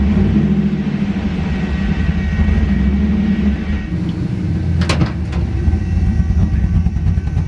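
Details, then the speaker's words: Duramax diesel truck with the automatic transmission taken from the owner's poor brown truck: a loud engine drone flaring in revs under load without the truck picking up; the transmission is slipping, not holding a gear, and needs replacing. "But here, this is why the transmission's not good."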